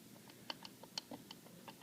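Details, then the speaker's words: Worn throttle spindle on a Stromberg CD175 carburetor from a TR3A, rocked side to side by hand with no engine running, giving irregular light clicks; worn spindle lets vacuum leak past when closed. "See how there's a little bit of side to side back here? You can even hear it."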